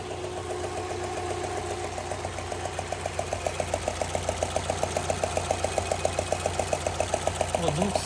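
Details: Subaru 2.0 petrol: sharp steady ticking knock about four beats a second over smooth idle from cylinder four, only when hot; persists after new timing belt kit and tensioner roller, cause unknown.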